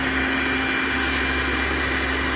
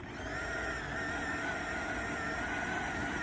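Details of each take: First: Popper coffee roaster after fan motor replacement (old motor's speed fluctuated while roasting), test run on nine-minute setting; steady even whir with constant hum, speed never wavering, normal healthy fan motor. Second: Popper popcorn popper used as a coffee roaster: the high whirring fan motor pitch wanders, climbing and sagging instead of holding steady; a failing fan motor, fixed by replacing it.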